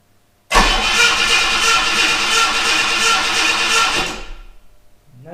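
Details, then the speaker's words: 1976 US Ford Capri Ghia with an ignition fault: the starter cranks steadily and fairly quickly for about 3.5 seconds but it never catches and there is still no spark; the distributor looks new, so the cause is unconfirmed. "still damn it right so still no luck getting spark"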